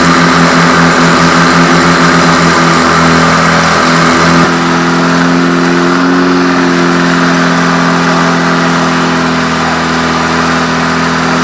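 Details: Freshly rebuilt air-cooled VW Beetle flat-four on its first run, doing a cam break-in at 2500 rpm for 20 minutes: a loud, steady drone settling to an even fast idle with no knocks or ticks. Sounds healthy.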